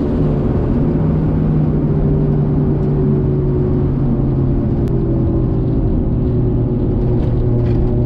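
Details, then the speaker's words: Nissan Skyline R33 with built 550hp RB25DET, after lifter repair fixed a ticking noise: deep steady drone holding an even pitch under light throttle on a test drive, no top-end ticking; running clean. "now i've got a functional rb 25 right now the lifters have not been ticking"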